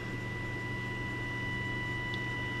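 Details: Midland walkie-talkie from June 1973 (Channel 14, 27.125 MHz), RF signal generator fed into the antenna input, volume wide open. Steady clean whistle-like tone over faint hiss, unchanged as the generator is turned up. No tuning effect, fault unconfirmed.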